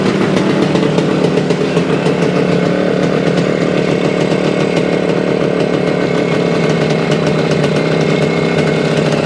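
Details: 1975 Suzuki TS-250 two-stroke, first start after a no-start, about 30 degrees out: steady crackly idle with even firing, no stumbles or misses; running healthy after stator rewiring and coil ground repair.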